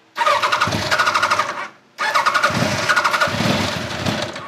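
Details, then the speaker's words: 1989 Kawasaki ZX-10 (ZX1000) with Keihin carbs, on the enricher and smelling extremely rich, gives two short bursts of uneven firing that die each time when throttle is given; the carb slow circuit is suspected. "as soon as you get into this thing at all it just dies that's slow circuit"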